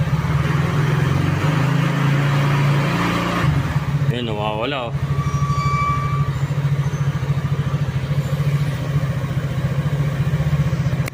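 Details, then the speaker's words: Easyride 150Fi scooter after fix for visor-area vibration: fairings and windshield refitted, steady idle then a couple of throttle blips, smooth even note, no bodywork buzz, vibration gone. "mission success nawala yung vibrate niya dahil doon kaya mas maganda simple lang"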